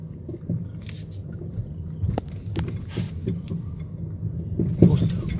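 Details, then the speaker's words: 2011/2012 Mercedes E350 W212 test drive; dull, uneven clunks through road rumble from the driver side, sounding like something loose: suspension clunk. "오, 장난 아니다. 이게 지금 소리가 그러니까 뭐가 풀린 것처럼 그런 소음이거든요."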